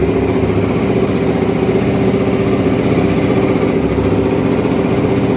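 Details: Honda Twister 250 single-cylinder, first start after repairing top-end noise (suspected loose cam chain, head bolt threads redone): steady even idle thump, no ticking or knocking; normal idle.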